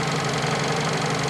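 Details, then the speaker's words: Fiat Panda 4x4 Sisley petrol engine, cold start after a couple of days sitting; a failing fuel pump has to be tapped to work. Steady, even idle with a constant hum and the injector ticking; engine running normally. "But yeah, that's a running engine. You can hear the fuel, the injector ticking away."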